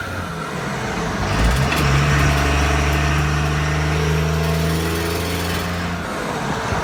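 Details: 2001 Ram 2500 with 5.9L 24v Cummins HO diesel and NV5600 6-speed at idle: a deep drone and low hum with a faint regular tick about four per second. The owner thinks it comes from the rear end; the source is unclear.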